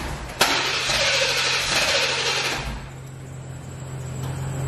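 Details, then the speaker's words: C4 Corvette that still won't start after its dead battery was jumped: the starter hits sharply and the engine catches roughly for about two seconds, then fades out. Fires briefly, then dies; cause unknown. "like it's turning all the way over it's cranking but then it's just it just feeling like it's something that's stopping it from staying on or like staying like crunk or something"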